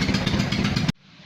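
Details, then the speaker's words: Invacar three-wheeler that sat 14 years in a field, run on axle stands; loud sharp exhaust chuffing, then a pop as the bodged exhaust patch blows out again, an exhaust leak that led to replacing the exhaust. "he just blew again there's only one thing for it I'm gonna have to change the exhaust"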